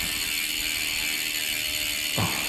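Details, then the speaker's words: New Dolan DR1 road bike with a Shimano 105 drivetrain, hub: fast, even, crisp freehub clicking as the wheel coasts, steady and bright with no grinding; a healthy ratchet. "i can't tell you too much about the wheels just yet but i'll show you through the hub while i'm here it sounds mint listen to that"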